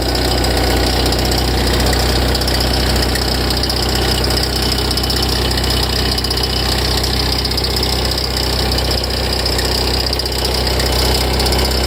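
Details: Ferrari F355 at idle: a loose, uneven knocking about three a second from the front of the engine, not tied to revs. It starts tens of seconds after start-up and idle settles once it stops; louder and longer after long disuse.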